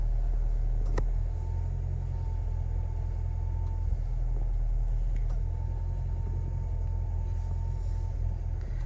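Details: Hyundai i10 small petrol engine at idle: low, steady hum with no knock or rattle riding on it. A smooth, healthy idle, shown in the context of water pump versus alternator noise.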